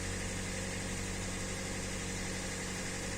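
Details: Hyundai Elantra, 2014 or 2015, G4NB 1.8 naturally aspirated aluminium petrol engine, automatic, 51,000 km, first owner; knock began after a start in hard frost. Busy idle with a dull buried knock, no clear pattern; source unknown.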